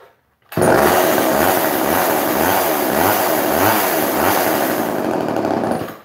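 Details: Chainsaw holding high revs with only a slight rhythmic surge, crisp and clean, after turning the carburettor mixture screws; it now sounds better and runs normally.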